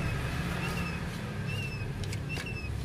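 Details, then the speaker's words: Nissan Almera water pump turned by hand with the belt off, giving a thin high whistle in short wavering chirps from a worn bearing. It is noisy when running or freshly started; tensioner, compressor and alternator checked fine. "Yan pansinin niyo o pag inikot natin yan. Ayan oh may tunog na parang sipol."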